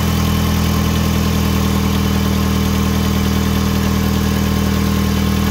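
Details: 2005 Hyundai Tucson GL 2WD after replacing catalytic converter, exhaust manifold and O2 sensors: steady, even idle hum with no ticking or puffing at the manifold; sounds normal, though a slight leak is possibly suspected.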